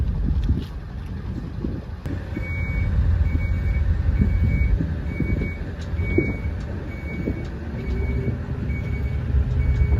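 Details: 2000 Ford F550 7.3 Power Stroke diesel, German-made 6-speed manual shifted into reverse (all the way over and up): even high single-tone backup beeps about twice a second over low diesel rumble; reversing alarm working normally.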